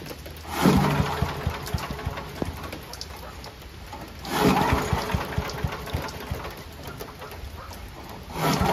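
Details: Mighty Mac wood chipper/leaf shredder small petrol engine after replacing a rusty, seized choke flap: it restarts and settles into an even, steady run with a few surges. Runs well but vibrates violently.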